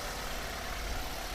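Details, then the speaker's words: 2009 Toyota Avanza (older model), engine warmed up: a short stretch of smooth, even, low idle hum with no ticks, knocks or misses, a healthy warm idle. "Nah, ini mesinnya sudah panas, sudah kita hidupkan."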